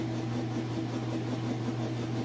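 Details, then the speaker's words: Whirlpool Super Capacity top-load washer with a heavy jeans load, final spin shown with the lid open: steady, even low hum with a faint motor tone, no thumping or grinding, spinning fast as it should; normal spin cycle. "I do it to show you that it is in fact spinning nice and fast like it's supposed to"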